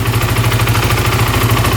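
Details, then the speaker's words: 2008 Kawasaki KFX450 fuel-injected single-cylinder quad, just jump-started, idles with quick, even thumping, no knocking, smoking or fuel or oil leaks, very responsive; normal idle. "all right that sounds really good wow no knocking no smoking wow very responsive wow sounds great"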